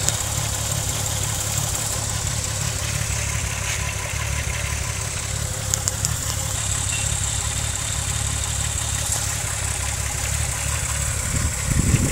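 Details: VW VR6 12V at idle, misfiring on cylinders 2, 3 and 6 (mostly 3 per VCDS counter) despite new coilpack, plugs, wires, coolant temp sensor and purge valve; low uneven idle with irregular stumble and shake, check engine light blinks; smooth when driving; cause not pinned down.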